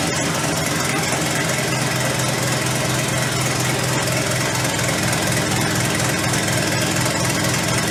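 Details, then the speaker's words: Mid-engine V10 Volvo 240 project on first startup; uneven, lumpy idle with a missing rhythm, and the owner suspects the direct injectors or the fuel pump on one bank. "it is started but as you could hear it's not running all that good I think it's something with the direct injectors or the fuel pump here on the bank too because that one was not uh running that good"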